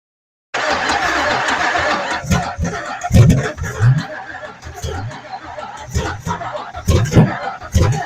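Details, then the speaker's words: Abandoned 1980s Camaro drag car, 350 V8 freed after being locked up, after distributor adjustment: catches then runs lumpy with loud irregular pops, backfiring through shorty headers and starting a fire; four or five cylinders dead, owner suspects plugs or wires. "so she's down at least four or five of the cylinders I don't know if it's just the plugs wires all that good stuff"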